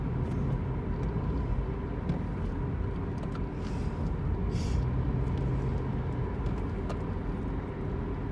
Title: Car’s whining noise